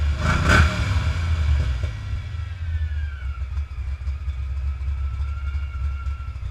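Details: 306 small-block Ford V8 with lumpy idle and a thin whistle sliding in pitch above the rumble; intake manifold not torqued properly, fixed by torquing it down; vacuum leak at intake manifold.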